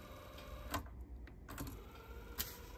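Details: Teac cassette deck fast forward, reel noise now gone: soft even whir of the reels with a few light clicks and no scraping or chatter; runs cleanly.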